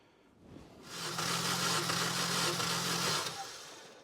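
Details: 2004 Mini Cooper S near 200,000 miles, cranked during a compression test about six rotations per cylinder: an even, steady starter whir with a low cranking pulse for about three seconds; regular, healthy cranking, cylinders reading about 125.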